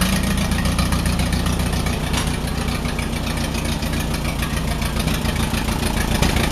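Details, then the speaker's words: Allis Chalmers WD45 tractor engine idling before a compression test, warming up; runs better with choke pulled. Uneven, lumpy idle with a dropped beat: misfire at idle, owner thinks cylinder 4 (end nearest radiator) is not firing; cause not confirmed. "I am gonna fix the side that's not firing, which is this farthest end down closer to the radiator, which I think is number 4, cylinder number 4."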